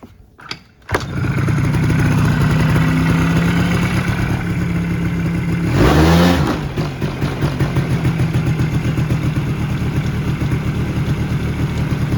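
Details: 2001-2006 Polaris Sportsman 90 after a top-end rebuild: cranks, catches within a second, settles into a steady low putter, one brief rev blip, then an even idle, running normally.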